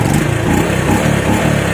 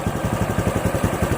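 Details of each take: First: Honda RS125 Fi motorcycle, previously slow to rev on throttle, after replacing defective spark plug cap: picks up cleanly with crisp even revs, no coughing or stumbling; healthy revving. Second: RS 125 FI single-cylinder motorcycle with new throttle body, spark plug and fuel filter, losing RPM and power on acceleration; uneven lumpy idle with skipped pulses, ignition misfire suspected and traced to a faulty spark plug cap.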